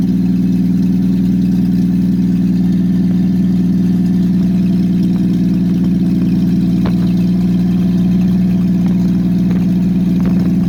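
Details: Engine with aftermarket Monojet carburetor freshly installed, exhaust off, start after about 3 weeks sitting; loud raw open-pipe drone with slightly uneven pulses, rough idle; owner suspects idle or mixture needle setting, choke needs adjusting.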